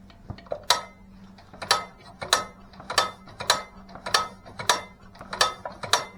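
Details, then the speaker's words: Troublesome engine just reassembled after the head was removed several times, warm day: sharp dry clicks about 1.5 per second over little running rumble, a new not-full pop whose source is not pinned down. "that noise that just that it's like a it's not a full Pop I don't know"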